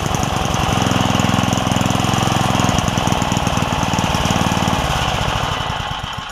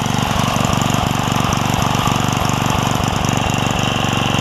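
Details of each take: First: Craftsman 3hp Tecumseh edger with a retrofitted snowblower carburetor: small single thumps at a rough low idle and won't pick up before fading out; cause is a governor spring and linkage issue, not the carburetor. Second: Craftsman 3hp Tecumseh edger with retrofitted snowblower carburetor, after sorting the governor spring and linkage: small single holds a steady, even beat at moderate speed with no surging or misses; runs healthy.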